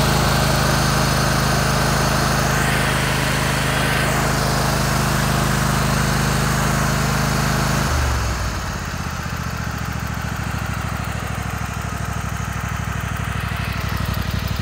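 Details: Kohler Command 25 V-twin; deep rumble dropping to a lighter idle with a rhythmic puff at the right cylinder, still runs smooth; burnt plug on that cylinder and power loss: blown head gasket.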